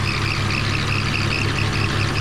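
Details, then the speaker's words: 2001 BMW E46 325Ci, 170,000 miles, idling right after an engine flush done for a ticking noise: a faint pulsing chirp rides over the low hum. One pulley is squeaking; the cause is not confirmed. "Right now one of my pulleys is actually squeaking."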